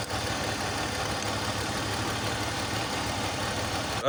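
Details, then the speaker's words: BMW X3 with M54 inline-six, idling with a cylinder 2 misfire; pulling coil 2 had no effect, so it was not firing, and a swap test is planned to confirm a bad coil. Uneven, lumpy idle with a recurring stumble instead of a smooth six rhythm. "you saw, when we pulled up the ignition coil of cylinder number 2, there was no effect on the engine performance, so it was not firing."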